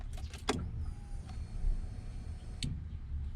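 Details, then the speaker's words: Honda EF/CRX after 5-pin main relay conversion, key-on: relay click, then faint high steady fuel pump whine for about two seconds that stops cleanly while check engine light cycles. Normal fuel pump prime. "okay I can hear it pump this thing that usually yeah so you guys can see you know if you put primes because you can hear it and the check engine light will turn on basically checking everything and then it turns off then you know bingo"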